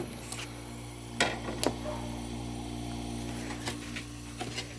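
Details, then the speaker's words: 1970s–80s Oasis refrigerated drinking fountain, compressor jumped on directly: quiet, steady mains hum with no rattle or knock, just a few handling clicks, while the evaporator coil gets cold and frosts; compressor running normally. "That compressor is so quiet. Sounds good."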